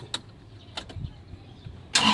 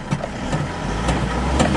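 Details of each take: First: Isuzu Traviz diesel that suddenly would not start, after a clogged fuel filter was replaced and the fuel system was bled and primed. A few quiet clicks, then it catches instantly and settles into a steady run; normal start. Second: Isuzu Traviz diesel that suddenly wouldn't start, after clogged fuel filter replaced and fuel hand-pumped to bleed air: slow even cranking pulses about twice a second, low rumble, slow to catch; long cranking, priming repeated, cause not confirmed.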